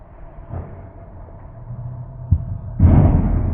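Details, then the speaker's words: Wood lathe turning an emerging bowl: low steady rumble, then a sharp knock and rough chatter as the gouge catches; the turner suspects he took too big a cut. "I have no idea why that happened maybe just taken too big of a cut I guess"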